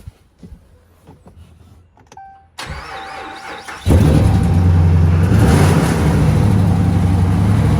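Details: 2014 Ram 1500 during rebuild, first start after frame work: brief crank, then the engine catches, revs up and holds strong and smooth with no knocks or ticks.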